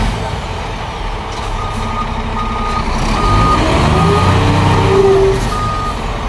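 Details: Scania P410 truck at diesel idle with the inter-wheel diff lock engaged: regular high warning beeps, the diff lock alarm, which stops when switched off.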